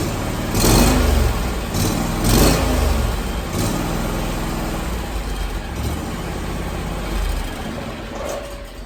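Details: Zero-turn mower with Kawasaki engine that had hard/no start when hot, restarted after 30 minutes of running and 15 minutes sitting: fires, revs and runs steadily with no fuel solenoid chattering. Owner believes the solenoid was the issue.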